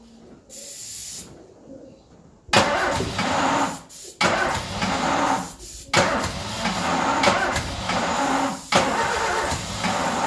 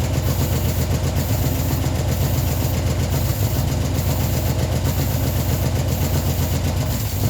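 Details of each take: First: Ford Escort revived after 14 years neglected runs on starting spray: uneven surges that dip and pick back up; rough running because no fuel is reaching it. Definitely not happy, running bad. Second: Ford Escort neglected 14 years, revived after flooding, idling only on the fuel in the carburetor bowl with fuel supply not yet sorted: even, low, steady idle with no misses or stumbles; running cleanly.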